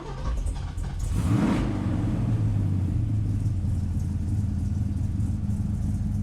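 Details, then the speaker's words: 1969 Ford Mustang Boss 429 V8, cold start without manual choke: a little slow to turn over, catches within a second into a deep, lumpy rumble settling to a steady idle; healthy start. "a little slow to turn over it has a manual choke and i don't have it i'm not using the choke right now and now down to the idle man that sounds awesome"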